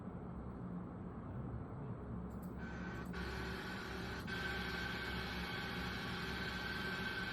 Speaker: 찰랑찰랑하는 소리데.요 벨트 소리. 요게 정상 베어리기 소리